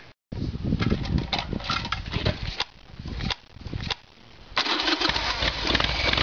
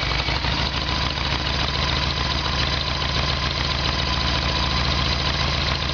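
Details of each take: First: Evolution Sportster with an intermittent faulty petcock that starved the carburetor and caused backfiring, fuel tap switched to reserve: engine catches after a couple of tries and settles into an uneven, loping V-twin beat that keeps running; fuel now reaching it. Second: Harley-Davidson Evolution Sportster, carb problem: fuel tap on ON runs the hose dry, fuel flows only on reserve (owner suspects faulty tap). Uneven V-twin idle stumbling and loping irregularly as the carburettor is starved; earlier backfiring. Fuel starvation.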